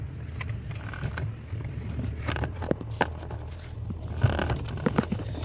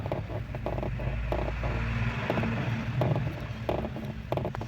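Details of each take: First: Steering box after repair: low, steady rumble with only faint scrapes and light taps and no knocking. The noise came from faulty installation, fixed by loosening the box and subframe and moving it back to the factory marking. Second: Steering gearbox (setor de direção) pried with a screwdriver at idle: short dry creaks, one or two a second, over a low hum; fault is the installation, box set too far back and rubbing against surrounding parts behind.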